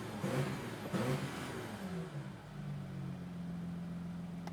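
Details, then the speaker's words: Audi Q7 diesel, 162,000 miles, owner wants cylinder contribution code P0263 fixed after rough running and limp mode: engine revs up twice and settles to a steady idle, no misfire or knock, no codes present; normal revving. "Doesn't sound too bad. Okay, let's see if there's a code. Came back. No codes right now."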